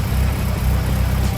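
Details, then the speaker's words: Classic Mini engine first run, idling briefly on about half a tank of fuel: low, steady even idle rumble with no knocks or misses, sounds good and dry; cooling system gets very hot and likely needs replacing. "It sounds good. It sounds dry. I don't think there's any oil in it."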